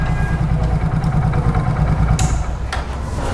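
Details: Super Splendor single-cylinder motorcycle idling after silencer band pipe replacement: steady low thump around three beats a second, no leak hiss or rattle from the pipe; exhaust sounds normal.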